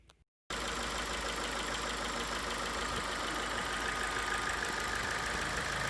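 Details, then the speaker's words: 2015 Ford New Fiesta at 60,000 km with the known factory lifter-tick noise, idling after an additive was added to the engine: steady idle with only a faint light ticking left; the lifter tick is much reduced. "coloquei isso de uma diferença muito boa reduziu aquele barulhinho que parece ser tuxo reduziu mesmo a diferença tá bacana vou mostrar para vocês como ficou"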